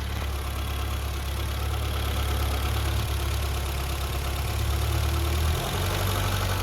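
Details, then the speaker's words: 1982 BMW 320i (E21) with 253,000 miles, after new Delphi FE0484 in-tank fuel pump, tanks and fuel line reinstalled, cleaned injectors, fixed vacuum leak, cleaned idle air valve: engine settles from a brief rev to an even, smooth idle, no knocks or misses; normal. "right back to a nice smooth idle guys this car has 253,000 miles on this thing"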